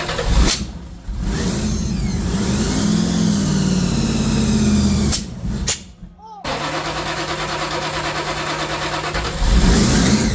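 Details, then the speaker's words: 3rd Gen IROC Z28 Camaro, blown 383 stroker with two Holley four-barrels, after new cam and lifters; held on throttle, revs sag hard near six seconds, almost dying, then catch; stalls off pedal because carb idle plates set too low. "All right, well, we did get her fired up and she's running, but I guess the carburetors are idled down so low, the plates, that whenever he lets off the pedal, it just cuts off."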